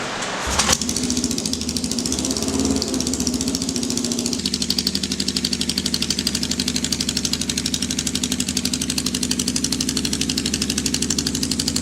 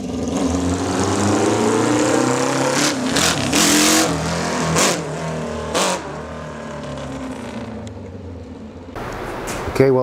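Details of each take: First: 1979 Kawasaki KZ650 bobber, first start after build with fresh oil and gas: catches after a short crank then holds a raised, busy idle; fast idle because the choke was left on. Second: 1979 Kawasaki KZ650 four-cylinder bobber, on first start after a new fuel tank: revs up cleanly in a few quick blips and drops back to an even idle, no stumble; a torn carb boot was later replaced and the carbs synced after a number-four vacuum leak.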